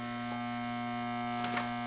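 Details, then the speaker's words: Rheem Roberts Model 1719 reel-to-reel recorder through its speaker: steady low buzz with higher overtones, constant, mains hum through the amplifier; ground loop suspected from a service sheet, cause not yet confirmed. "is that most the ground loop hum is a major part"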